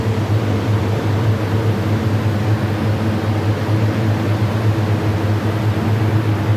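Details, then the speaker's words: Condensing unit (about 80 A breaker, compressor with overload, heater and four evaporator fans) restarted during troubleshooting of a noise; a steady, even low hum with a constant drone and no knocks, rattles or scraping, running normally. "Ayon ah mga kaibigan ah bale umandar na itong compressor na to condensing unit inandar na namin"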